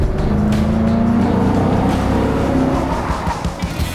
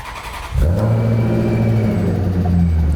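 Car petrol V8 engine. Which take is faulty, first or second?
second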